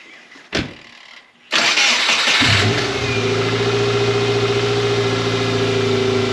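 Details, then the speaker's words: 2000 Subaru Impreza 2.5 RS after replacing all four badly worn spark plugs (misfired and shuddered above 4,000 rpm): clicks, quick crank catching into steady even idle, no stumble or miss; starts and runs healthy. "Didn't even miss a beat, so let's take it on the test drive real quick and see if it still does the thing."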